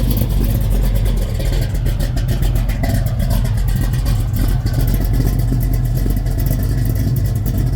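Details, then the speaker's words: 1972 Chevelle with supercharged 496 big block Chevy, large primary headers, MSD6 ignition, carburetor: deep, heavy, even rumble with steady beat and no knocks or rattles; normal idle. "what a monster"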